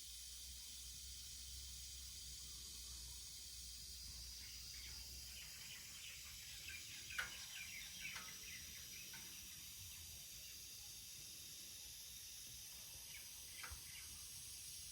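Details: Ford E150 van: steady, high airy hiss throughout, attributed to refrigerant escaping from a ruptured AC condenser that sprang a big leak; cause suspected, not confirmed.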